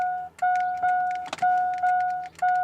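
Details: 2000 Chevy Silverado 5.3L that won't start because of a faulty aftermarket alarm whose remotes don't respond. A steady mid-pitch chime repeats about twice a second without stopping: the alarm is stuck sounding.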